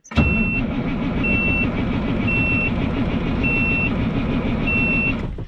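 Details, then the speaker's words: Peterbilt 362 cabover diesel, cold at about -15°: spins over steadily for about five seconds under a repeating high beep and never fires. This crank warms the cylinders, and it is expected to start on the next attempt. "okay it's gonna start on the next round so we're just gonna let it uh warm up the cylinders a little bit more because you know it was -15"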